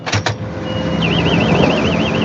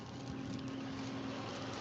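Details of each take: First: Combine harvester cutting oilseed rape, backing up to check a jammed knife that turned out to have a missing section: steady warbling electronic beep over diesel rumble; normal reversing alarm. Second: Tractor at rest with the driver out of the seat and the handbrake off: a steady mid-pitched electronic warning whine over the tractor's low rumble; handbrake-off warning.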